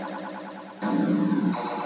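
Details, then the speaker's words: Williams System 6 pinball machine (Fire Power) sound board self-test: warbling electronic tones step through effects, then a louder pulsing sound. The loop runs until power is cycled, testing most of the board. Normal. "it will put the sound board into its own diagnostic test where it will it'll just start cycling through various sound and speeches"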